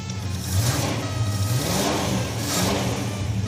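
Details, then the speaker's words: 1968 Ford Ranchero V8, revived after sitting dormant in storage and restarted after fixing it pouring gas. The dash crank switch doesn't work but the ignition switch does. Deep rumble revving and settling with even firing and no misses; runs well. "we're good that runs quite good like for us you at home no you wouldn't be happy with that but us yeah it's fine we made it run surprisingly easily"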